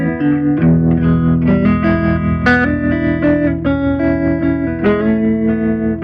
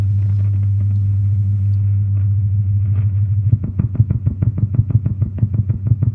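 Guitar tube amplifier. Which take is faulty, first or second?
second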